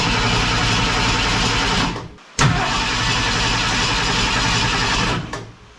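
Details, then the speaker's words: Ford Falcon wagon with a swapped SBF 302 V8, test fire with fuel poured down the throat: it cranks, catches, runs a couple of seconds, dies, catches again and fades out. Owner suspected the timing; the coil power wire was later found wired incorrectly. "shut her up think the timing's out uh she fired but she's pushing air through I'm going to run back through and check our timing"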